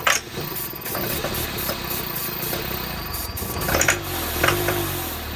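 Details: Volvo 242 abandoned in the woods, first run after long storage: uneven lumpy running with irregular surges, no knock; misfiring and rough, owner suspects carburetor and fuel issues.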